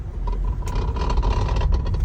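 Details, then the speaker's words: 2016 Toyota Camry electric power steering: loose irregular clattering in quick bursts from behind the dash, only on rough road surfaces and quiet on smooth road while driving; worn steering column damper. "you hear it keep driving on the rough road it only happens when you're on a rough road on a rough surface of the road so now we're on the smooth Road you don't hear it see right now it's quiet"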